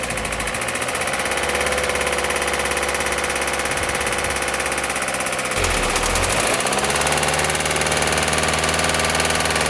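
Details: 2008 VW Passat B6 1.9 TDI, about 121,000 miles, after oil pump failure and replacement: diesel clatter, fine at idle, with a knock growing sharper as revs rise; rod big-end or main bearing damage suspected.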